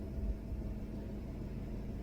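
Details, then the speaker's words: 1967 Ford Mustang 390 V8 with hydraulic lifters after rebuild, warm at normal gauge temperature, idling at 700 rpm, oil light off: smooth, even low rumble with no knocks, misses or hunting; sweet, healthy idle. "Oh, wow. Listen to that idle. That is sweet."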